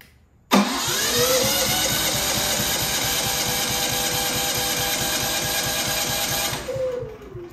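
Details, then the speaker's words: Genmax GM9000iED generator, ignition module replaced without fixing fault: silence, then it catches abruptly after pressing start and tapping it with a foot, running with a steady buzzing drone about six seconds before winding down; hard starting. "this is the only way I have been able to start this thing I click I I press the start Indian um button and then I have to tap it tap it with the floor to be able to stutter really weird"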